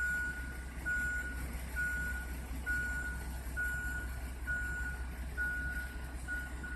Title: Emma Wilson Elementary - daily waste hauler loud noise - Chico noise problem 07312018